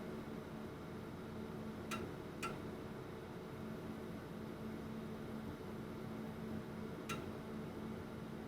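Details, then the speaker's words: Old bench oscilloscope booting; its six large computer cooling fans ramp up. Steady, even rush of air with a faint low hum and a couple of light clicks, fans running flat out. Normal. "It has 6 large computer fans on this side. That's what you're listening to right now. And they get ramped up, and so here we go."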